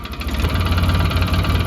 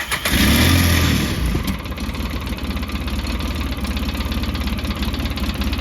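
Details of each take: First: A 2007 Polaris Ranger 700 idles at about 1080–1090 rpm after TPS and idle adjustment, with a steady, even thrum. It no longer dies when coming off a rev; normal idle. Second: 2007 Polaris Ranger 700 idling low at about 950 rpm after a TPS adjustment. A brief rev settles into an uneven chugging idle that stumbles almost like a misfire. RPM is lower than wanted and needs adjusting.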